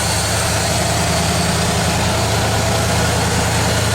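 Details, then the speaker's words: 1987 Bronco, freshly installed engine warming up, top hose getting warm and good heat coming out; steady, smooth low idle rumble with no knocks or misses. "Top hose starting to get warm. Already got real good heat coming out."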